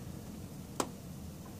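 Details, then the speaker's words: Viewsonic 17 SVGA CRT monitor, no picture from any video source though the CRT tube glows: one sharp dry click over a faint hum, repeated ticking suspected from a loose internal connector or board affecting power/auto-ranging refresh switching. "there's definitely some kind of bad connection in there causing some sort of malfunction with I don't know the power the auto-ranging you know refresh rate switching sort of things something's going on in there"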